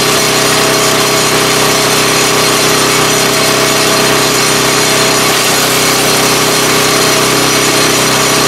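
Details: 3.5 HP Tecumseh engine after tuning the main jet screw, driving a wood chipper. A steady, busy engine note holds speed while wood feeds through, with no surging or misfire. Normal running under load.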